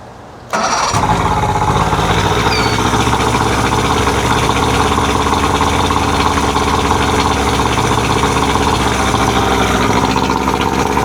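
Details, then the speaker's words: 1999 Johnson 70 hp two-stroke outboard after carburetor rebuild and mixture screw adjustment: fires on the first crank and settles into a steady, even idle with no misses or fuel leaks; running properly. "We're idling nice and she sounds fantastic."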